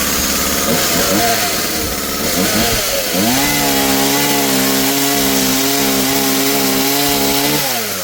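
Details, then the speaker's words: Husqvarna 36 two-stroke chainsaw after carburetor, fuel line and fuel filter replacement, low screw 1.5 turns out, high 2.5: fires, blips, climbs cleanly to a steady high scream without bogging; healthy running. "Works great."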